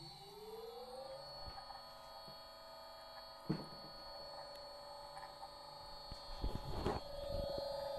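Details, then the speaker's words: Three-phase motor run from a single-phase 230 V VFD giving 230 V three-phase pulsed output, around 19–20 Hz: whine climbs then holds steady with faint irregular scrapes and ticks; the noise comes from the slightly rusted motor, not the drive. "Et le bruit vient du moteur, hein, il vient pas du variateur. C'est le moteur qui est un petit peu rouillé à des endroits, il faut le dégripper."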